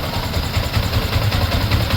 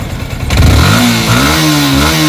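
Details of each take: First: Yamaha Sniper 155 idling after replacing the water pump seal, impeller bearing and impeller, before warm-up: even low thumps about five a second with no whistle or whine on top; a clean idle. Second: Yamaha Sniper 155 revving with a faint high whistle over the run that appears when the engine is very hot. Cause is suspected dry, rubbing water pump impeller bearing and seal.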